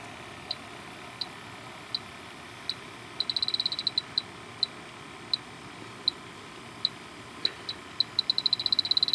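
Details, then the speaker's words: H10 electronic detector on a dirty microchannel coil of a York package unit slightly low on refrigerant with an oil spot: sharp beeps about once a second racing into fast bursts near the coil; refrigerant leak alarm, three small leaks found. "there it goes there's a real good one right there and then there's one down here mhm so there's three good leaks I found so far"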